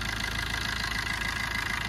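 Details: Suzuki SX4 diesel after timing chain work and cleaning of the blocked intake port, manifold and EGR for poor pickup: a steady, even idle with light regular clatter, no misses or surging; it sounds healthy.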